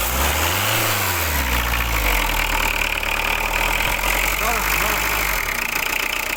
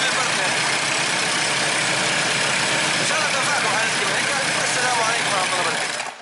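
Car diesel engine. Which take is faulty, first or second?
first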